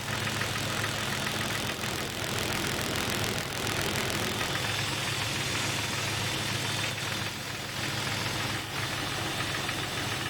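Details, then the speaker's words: Jeep 4.0L petrol engine idling with a light, fairly steady intermittent knock seeming to come from mid-block, hard to pinpoint; resembles piston slap but no double rap on throttle tip-in. "The ambient noise is very hard to pinpoint, almost impossible to tell where the sound is emanating from. It seems like the middle of the engine block. This noise could be easily mistaken for a piston slap."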